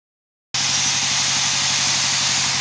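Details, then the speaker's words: Angle grinder after replacing the worn front head bearing that had caused vibration, krek-krek rattling and unstable rotation; reassembled and switched on, it now runs with a steady, smooth high-pitched hiss, no rattle or wobble — normal smooth running. "itu dulur suaranya jadi ee sudah halus sudah normal"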